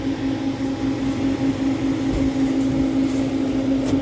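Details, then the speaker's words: Newly replaced C-frame fan motor on a prep table, after cutting out a rubbed-through neutral wire that likely tripped the GFCI: smooth constant mid-pitched hum, good airflow, no squeal or rattle; healthy fan motor. "Alright, now we'll see if it squeals like a seal when we turn it on. Really shouldn't. Nice air pushing out of there."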